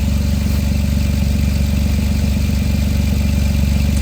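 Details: 2008 Jeep Wrangler idling after replacing the starter and a year-and-a-half-old deep-cycle battery: steady, even low idle with smooth regular beat, no knocks, misses or squeals; starter and alternator seem fine.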